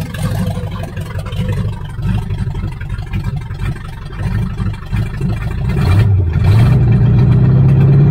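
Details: 1978 Chevy Nova V8, possibly a 305 two-barrel, abandoned for 25 years, open exhaust: uneven loping idle rising to a steadier drone with a slight shake. Runs on all cylinders; rat-chewed distributor wires retaped, plugs, cap and rotor probably due; cause unconfirmed.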